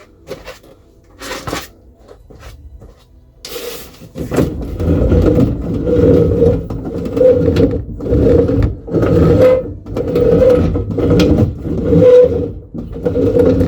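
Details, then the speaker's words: Reliant Supervan during restoration, steering linkage fitted and adjusted with no slop, wheel turned by hand: a rough scraping groan about once a second from the faulty steering column, which still holds its original oil; the owner is considering regreasing it. "not particularly uh happy with that sound so at the moment it's got oil in it as original but I have heard of a lot of people putting grease inside instead of oil"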